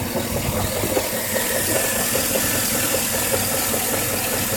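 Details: 2013 GMC 5.3L 4x4 SLE at 1800 miles: steady idle with a light, uneven tick-knock roughly once a second on the passenger side of the engine; knock of unknown cause.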